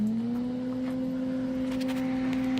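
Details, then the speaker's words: Misting pump system after a self-made repair: smooth, steady electric hum as the pump runs normally, but no water comes out of the nozzles, which are suspected to be clogged. "You hear it humming. That's it humming. So it should be getting water."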